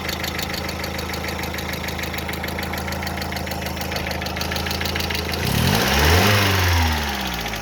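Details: Hydraulic lifters tapping after water got into the engine oil: steady, even ticking about four per second over the idle, speeding up with revs; fully cured by an oil change.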